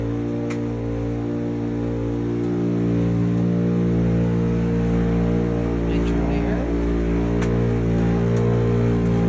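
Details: Miele T9800 dryer running with a steady low drone, strong hum and a few faint ticks; abnormal running noise, cause not yet found (owner notes it needs vacuuming).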